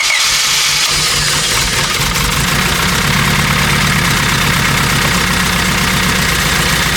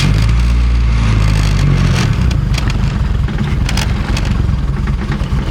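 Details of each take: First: 1997 Honda Civic EX coupe, built turbo D16Z6, after coolant refill and thermostat work: busy, slightly uneven idle that won't settle; wiggling the coil-on-plug wires affects running, pointing to a misfire from a loose coil connector. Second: Turbo Honda D-series after overheating fix (thermostat reinstalled, block guard corrected, coil-on-plug pins fixed), running water not coolant: fires into steady even idle, no misfire; idling at 182 degrees, fan cycling, good coolant flow.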